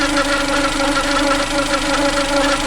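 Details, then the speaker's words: Suzuki Alto petrol engine idling after cylinder head work, steady droning whine with gritty rattle; owner suspects worn alternator bearings (6302RS and 6202RS) and plans to remove the alternator and replace them rather than buy a replacement. "so it looks to me like the alternator bearings are gone bad so I don't want to go this guy does it here anyway we're gonna whip the alternator right see if we can change the bearings hopefully we can"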